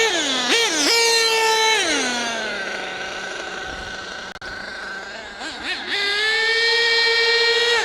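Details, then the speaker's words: HPI Savage GT6 nitro RC truck, F4.6 engine: high buzzing engine climbs, drops in pitch as second gear engages, then climbs again; two-speed gear change working normally. "So, now we're changing gear. That was a good gear change. One gear change. Two gear changes. Right. Three gear changes. Right. So, we've got a good gear change."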